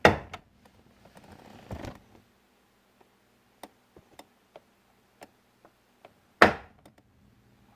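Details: 2001 Chevy Silverado driver's door check, rubber boot missing and hopping around: sharp single clunks and ticks each door swing, loose and irregular; worn door check clunking, needs replacement.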